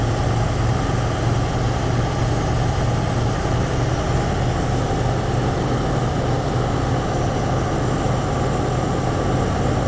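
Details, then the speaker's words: Ford engine cold-starting at about 65 degrees on a new carburettor, heavy, slightly uneven low drone not settling cleanly; still needs carb adjustment, loose vacuum brass piece behind choke found. Cause suspected, not confirmed. "it needs to be adjusted a little bit and uh sometimes like the first time we tried it it sounded like it was stuck in here"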